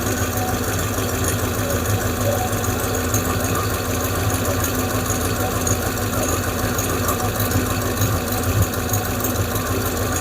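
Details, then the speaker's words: 5.7 Hemi V8 at idle after replacing the lifters: the lifter tick is gone, and the quick, light ticking now heard over the rumble is an exhaust leak; a small vacuum leak is also suspected. "It's just I got an exhaust leak. That's what we're hearing now."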